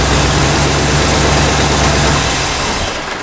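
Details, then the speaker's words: 1965 Cadillac V8 with new carburetor: steady low idle, then after shut-off it keeps coughing and running on (dieseling); traced to a vacuum leak at the brake booster, though brakes feel okay. "Okay, I think that's it. I think it's the brake booster that's pulling, that's got a vacuum leak, which is weird because the brakes feel okay."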